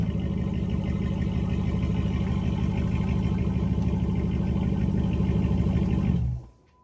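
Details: 5.7 Hemi (Dodge Charger/Chrysler 300) idling: steady V8 rumble with fast chuffing tick on each exhaust pulse; exhaust manifold still leaking despite new gasket and tight bolts because the manifold is warped, to be resurfaced.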